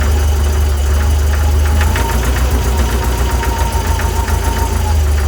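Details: VW 1641cc flat-four, about 15,000 miles, standard crank and cam, twin DRLA carbs, idling cold: steady knock about three or four a second over a low rumble; cause found to be play in the aftermarket crank pulley.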